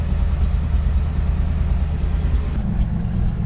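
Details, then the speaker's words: 1974 Ford F100 with Cleveland V8, rescued after long storage, first runs on a high-ish idle: low rumbling idle stumbling unevenly with soft puffs from the exhaust; a couple of valves likely not sealing after sitting. "If you hear that fluffing out the exhaust, that's a couple of valves not quite being happy."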